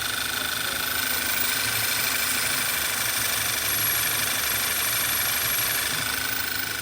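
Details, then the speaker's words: VW Tiguan with lean code at idle: faint steady high whistle over a soft idle; vacuum leak through a torn PCV valve diaphragm. "it's whistling a little bit okay"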